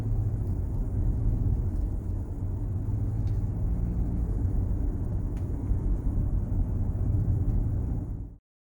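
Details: Armored BMW X3 cabin while driving after interior trim adjustment: steady low road rumble with no clicks, creaks or trim rattles, where earlier the owner complained of much interior noise.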